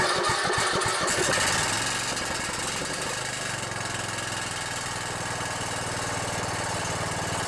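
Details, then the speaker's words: Riding mower with Briggs & Stratton Intek OHV 17.5 hp engine: catches and settles to a steady idle with a light tinny rattle over the beat; muffler rattling, otherwise sounds good. "it's the muffler's rattling a little bit yeah that rattle is some muffler well other than that muffler rattling sounds pretty good"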